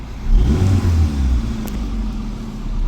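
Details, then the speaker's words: Hyundai i10 with a suspected spark plug fault behind P0301/P0304 misfires and check light, stalling when clutch pressed: blip picks up cleanly and settles with even beat, no stumble; no misfire, firing on all cylinders. "और गाड़ी में जब मेरे पास आई तो missing बिल्कुल नहीं थी और इस समय भी नहीं है। तो ये आप देख सकते हैं इस समय भी मिसिंग नहीं है।"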